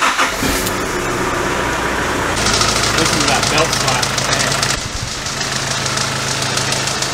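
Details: D22 Nissan Navara diesel on first start after a larger aluminium radiator, new thermostat, new hoses and a coolant flush, in neutral with the heater on: it cranks and catches, then a rough flapping slap rides over the clatter, from a loose drive belt.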